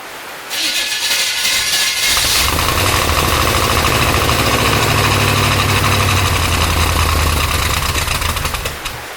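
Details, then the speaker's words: 1972 Corvette first run in the car after 10 years abandoned, cold, in heavy rain, timing ~10° BTDC; lumpy, uneven idle about three pulses a second; owner suspects vacuum leak at used base gasket and wants a different carburetor; rough idle. "i think it needs a car a different carburetor and a different base gasket the best gasket that i used was obviously used and i think it has a vacuum leak right here on the side"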